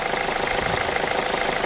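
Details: Mazda2 1.5L Sport petrol engine converted to run on hydrogen, MAF sensor disconnected: steady idle with a hard, rapid diesel-like knock at firing rate. Owner suspects ignition timing and plans to change it; unconfirmed.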